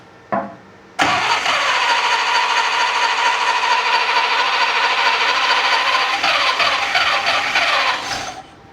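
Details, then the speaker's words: Unimog 404 start attempt: brief cough, then steady fast cranking that never catches; spark and compression present, but no fuel in the system. "Okay. So, what that tells me is obviously we don't have any fuel in the system. It seems to me like the ignition is set up correctly. We obviously have spark. It seems like we have compression."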